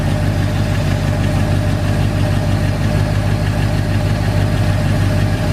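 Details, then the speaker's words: 1981 Ford F100 V8 idling after rocker adjustment (turned until the pushrod stopped moving, then another half turn): a steady low rumble, the rocker rattle gone, leaving only a faint light tick. "As you can hear, the the rattling rocker is now quieted out. There's a tiny little tick in it."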